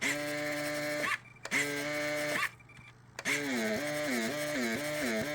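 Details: 1:144 Russian Kilo RC submarine, ballast system switched to surface: the small ballast pump's buzzing tone cuts in and out, then runs with a wavering pitch as it pumps; operating normally.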